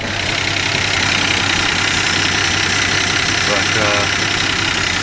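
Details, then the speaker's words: 1961 Plymouth Belvedere started after sitting parked since 2002: rough, uneven idle with an irregular stumble roughly every quarter second; sounds like a miss, cause not yet clear. "I bought the 72 Newport and drove that for the next 20 years sounds like we got a miss"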